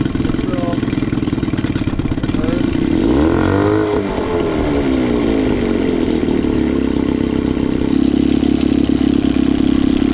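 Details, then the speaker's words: Cheap two-stroke outboard, choke in, recoil starter wonky: slow lumpy idle sagging and wavering as if about to die, dies at starting position; broken idle linkage piece dropping idle too low. "Yeah, if I go back to the starting position, it dies. Yeah, with this like broken piece for the idle. It's like idling too low."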